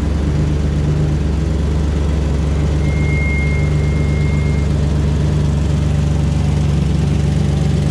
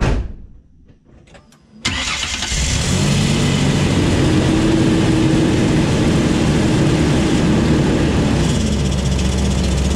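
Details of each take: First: 2004 Ford Ranger XLT FX4 Level 2 at idle: loud, deep, even drone with a raw open-pipe rumble and no muffled softness; exhaust leak from a rusted-through muffler, before the muffler was replaced. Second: 2004 Ford Ranger XLT FX4 Level 2 after a muffler replacement; it was very loud before. Starts and settles to a steady, even idle with a soft, low exhaust note; only normal engine noise remains.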